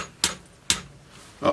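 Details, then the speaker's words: Fender Squier guitar neck, abused and sanded: three sharp, dry clacks about half a second apart as the neck is moved, a loose rattle; owner suspects a loose truss rod that isn't doing anything. "what's that noise sounds like the truss Rose loose so this that noise means the trust Road's not doing anything"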